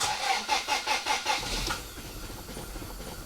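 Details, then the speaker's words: Toyota Altezza with newly fitted Link ECU, first start, idling poorly: revving from rough idle brings pulsing, screechy chirps fading as revs drop, a couple of belts slipping, not major; drive belt slipping on revving. "This noise is just a couple of belts slipping, it's not a major problem."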